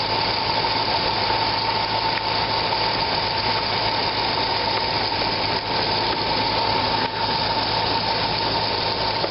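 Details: 2004 Corvette Z06 at idle: steady high squeal that owner first took for a serpentine belt squeak, traced to the upper A/C belt idler pulley bearing, which went quiet when sprayed with WD-40.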